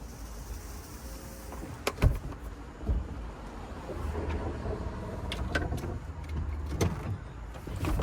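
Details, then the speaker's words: BMW E36 convertible top motors in the trunk cycling normally after retiming (hold button, two clicks, 10–15 s) and bending the motor gear plate to cure knocking: quiet whir swelling and fading, a few firm clunks as parts seat, no knocking. "this is the procedure to retime your Motors so that they know exactly well yeah so they know exactly when to close and do all the operation Windows should close and once they do that you know that you're all set"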